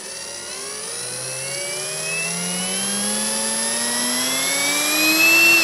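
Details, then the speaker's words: Parkside cordless drill, compared with Litheli U20, trigger squeezed slowly: motor whine climbs steadily and evenly like a turbine spooling up, no steps or stutter; smooth variable-speed control. "Ja genau, da hört man es ja wirklich, das ist absolut stufenlos hier. Das ist dann wirklich wie so eine Turbine, die dann langsam losgeht."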